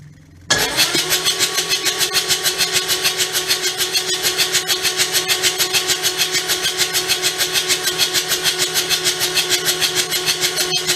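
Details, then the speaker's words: Kubota D722 three-cylinder diesel cranked after reinstalling its rebuilt injection pump with a new plunger: slow, even cranking at about three compression beats a second, never catching. Battery getting weak, no start. "That's not a good sign. Pretty sure I put it in the right way. Turn it over a little bit more. Battery's getting a little weak."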